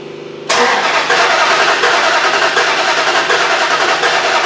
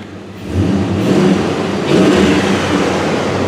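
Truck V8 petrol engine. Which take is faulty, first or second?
first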